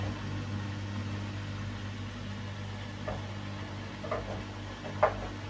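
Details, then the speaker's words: Bosch Serie 4 washing machine, 4 months old, 30-minute quick wash, brief spin after pump-out before refill for second rinse; steady low motor hum with a few soft knocks, normal. "we're all pumped out have another little spin and then it will be another fill"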